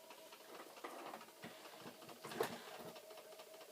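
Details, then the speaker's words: Flood-damaged Commodore C2N datasette running a flipped tape in rewind (effectively fast-forward) during testing; uneven ticking and scratchy rattles, strained labouring fast-forward that picks up speed then slows again; tape trouble suspected, cause unconfirmed. "you see the sounds that it's making are similar very much to the fast forwarding sounds that failed before but it does seem to be picking up speed"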